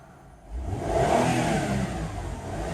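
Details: Mazda Tribute LA4A-EL (Ford CD4E) automatic transmission on hoist, fluid black and burnt-smelling, possibly overfilled: revs climb freely in reverse with no load taking up; transmission slipping with no drive; blocked internal filter suspected.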